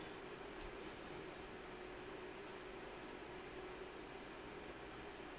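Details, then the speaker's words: PNY RTX 5080 Slim GPU under full load, case fans tuned to cool CPU: steady airy whir with faint hum, no rattle or ticking; pretty loud but normal fan noise, no thermal issues. "Now, it is pretty loud. I'll put it that way. It is pretty loud. The three small fans."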